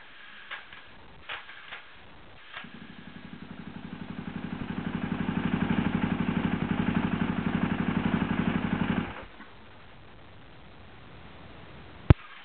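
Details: KTM SXC electric start: cranking clatters at about four beats a second and grows louder, then the engine stops without catching. Bad, slipping starter clutch.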